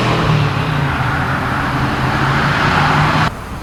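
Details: 1979 AMC Spirit AMX, 304 V8, driven on a new Brawler carb with mechanical secondaries, replacing the Jegs carb whose vacuum secondaries never opened: strong, smooth pull, clean even exhaust note dropping off on lift; normal acceleration, carb opening fully.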